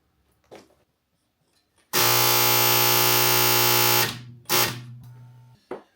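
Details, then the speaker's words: Sunfire SF 80 diesel/kerosene heater during initial fuel priming: the fuel pump gives a loud harsh jackhammer-like buzzing rattle for about two seconds, then goes quiet once fully primed; this loud priming noise is normal. "So just a quick side note is the fuel prime does make a very loud noise. So this is how quiet it is when, so it's primed. But if you hear that thing sounding like you're jackhammering, that's normal."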